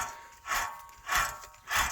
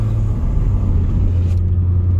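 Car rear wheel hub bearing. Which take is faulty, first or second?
first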